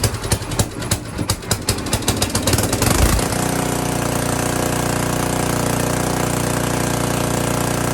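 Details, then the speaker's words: Tecumseh 10 HP electric-start small engine just fitted with a new carburetor, choke on, jump-started from a separate battery: starter cranks a few seconds, engine fires right up and settles into a steady, even run with no misses; normal running. "i'm pretty happy that thing fired right up i can't run it very long up in this"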